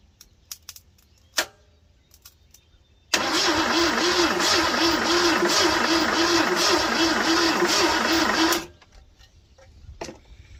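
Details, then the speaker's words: 1979 Ford F-series truck, 351 Modified V8, sat 20+ years: even starter churn about three beats a second, good compression, never catches; crank no start with no spark despite cleaning distributor cap corrosion. "No sparkles. Well, it's looking like we're not going to get this running today."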